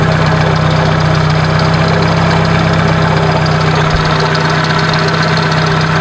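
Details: 1996 Dodge Neon idling, heard from several spots around the engine: rough gritty grinding/scraping under a steady hum, much louder when throttling up, easily mistaken for internal engine noise; troubleshooting traced it to worn alternator bearings.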